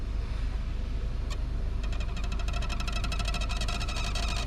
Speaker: But if you step on clutch and release slowly, you will hear a squeaky sound.